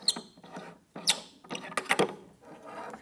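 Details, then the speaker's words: Short, irregular high squeaks and chirps as an adjustment knob on a Pilates combo chair is unscrewed, from dry threads; the fix is silicone spray on the threads. "so if you are unscrewing your knobs and they're really noisy they squeak a lot this one's not too bad all you need is some silicone spray"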